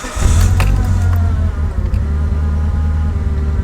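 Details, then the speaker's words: 2003 Mitsubishi Evo 8 with new exhaust manifold, after idle adjustment via EvoScan throttle-body bypass screw: engine fires, flares, then settles to a deep idle that sags and wavers instead of holding steady; unstable idle. "so it's idling right about where I need it to be which is good but it'll do that but then the tenty yeah that's really annoying"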